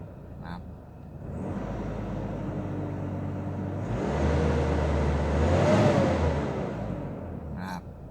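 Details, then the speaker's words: Isuzu 1.9 diesel pickup, 100,000+ km, oil breather vented to ground since new, catalytic converter replaced with pipe, 3.3 final drive, accelerating: note climbs smoothly with rising whir then eases, no knocks or rattles; pulls well. Normal acceleration. "เร่งก็ดีอยู่นะครับแต่ก็อยากจะฟังเสียงเครื่องข้างนอกกันนะครับเสียงก็ปกตินะเสียงนิ่งมาก"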